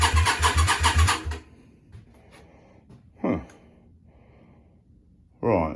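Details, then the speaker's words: Yamaha Virago 535 with new starter, freshly refilled with oil, on jump pack because new battery keeps going flat: fast even cranking for about a second, no firing; owner suspects no fuel but can smell fuel. "we don't like we got no fuel issue here um let me investigate and I'll bring you back"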